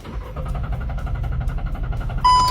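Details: Car cranks steadily at about four or five turns a second but never starts, then warning chime; owner already cleaned throttle and replaced spark plug, ignition coil and canister solenoid; cause a clogged camshaft solenoid valve.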